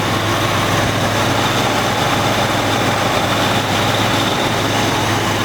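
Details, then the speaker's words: 1985 Jeep Cherokee Chief two-door with a carburetor believed rebuilt and a new exhaust; starts right up and settles into a smooth, even petrol idle with a steady low rumble, no knocks or misses: normal healthy idle. "the engine sounds great it runs really well it's got a new exhaust on the thing man Idol's great"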